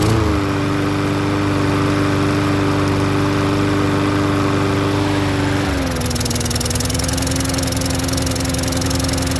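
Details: Troy-Bilt self-propelled mower with Briggs engine, which would not restart once shut off, due to a dirty carburetor. After cleaning the carburetor and main jet, it runs steadily during a restart and tilt test, then the governor settles it to a slightly lower even speed; smooth and healthy.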